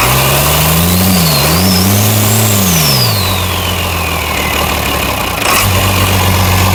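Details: Freshly primed International DT360 diesel (bought for a swap into a 1973 Ford F250 crew cab), fuel primed with the manual pump: revs up and settles into a steady, even idle with no knocks or misses, a healthy runner.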